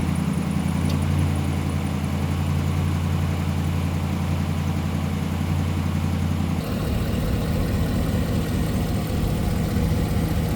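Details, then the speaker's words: 2017 Ram 1500 Rebel V8, cold-soaked for days, idling after exhaust manifolds replaced with BD Diesel manifolds: smooth even rumble, no exhaust tick or leak; slight cold belt squeal at startup. "But the important thing is that there's no longer an exhaust tick, no longer an exhaust leak."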